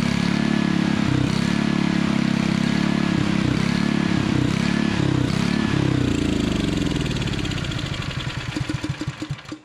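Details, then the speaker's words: Honda water pump engine, the choke kills it: runs rough, firing slows and spreads out, stalls within seconds; owner suspects dirty fuel but unsure, carburetor clean planned. "yeah so as you see there the choke just kills it so i think it's going to be a dirty fuel situation"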